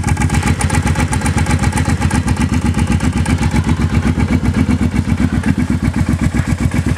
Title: Clunking sound